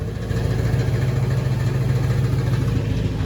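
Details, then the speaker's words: Cadillac with Dynomax valved chambered mufflers replacing straight pipes, idling: lumpy idle with a tinny "ting ting" rattle about three per second from the muffler valves bouncing open and closed, possibly from install angle or wear. "Well, let's start it up, see how the exhaust sounds. Well, the rattle is still there. We'll just have to deal with it, I guess."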